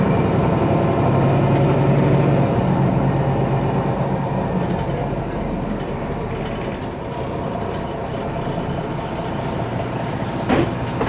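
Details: IETT Mercedes-Benz Citaro O530 city bus M2368, 2007, OM906LA Euro 3 turbo diesel, ZF Ecomat 6HP502C automatic: heavy diesel drone with faint high whistle and scattered rattles; faulty turbo and noisy loose part.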